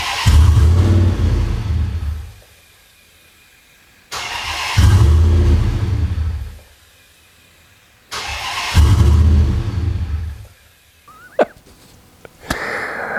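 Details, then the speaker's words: Twin-charged Hemi first start after a year-long build, exhaust cutouts closed: loud engine catches and roars for a couple of seconds then dies, three times over; it starts but won't keep running, a baseline before further tweaks and tuning. "it starts it starts it doesn't run not well but it does start and it gives me a baseline to work off of"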